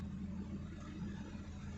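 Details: Hyundai i10 Grand push-button start, after immobilizer code cleared (was intermittently starting and shutting off): low steady even idle rumble with no misses, ticks or knocks; normal idle.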